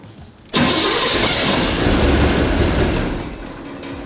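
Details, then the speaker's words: 1972 Chevrolet Corvette C3 V8 after replacing a bad remanufactured starter; a bent flex plate was suspected but not the cause. Camera under the car. A clean, brief crank with no grinding, then an immediate start into a strong, even run. "Well, that's all it was. Just a bad remanufactured starter. I'm glad I tried that first rather than just assuming it was a flex plate."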